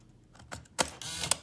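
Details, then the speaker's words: Mercedes EIS ignition module and steering lock module tested on the bench: quick click as key seats, then short whirring motor buzz ending in a sharp snap; steering lock unlocks normally, confirming key is programmed to the system. "all right there we go you hear it that's the sound right there guys that's the sound so that way you know that this key is programmed to this eis module and see that steering lock module is programmed and it's working perfectly fine guys"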